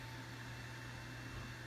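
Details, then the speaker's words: Harbor Freight Centech power inverter, held near the camera, with its cooling fan spinning up. A steady, fairly loud whir with a low hum and a faint high whine. Noisy but normal. "and as you can hear it is really quite noisy uh it's not such a problem if like you put it on the floor"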